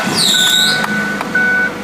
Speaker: Сегодня мы начнём с безошибочно узнаваемого звука: визга приводных ремней. Вам даже не нужно внимательно слушать. Этот звук очень хорошо слышен, особенно при резком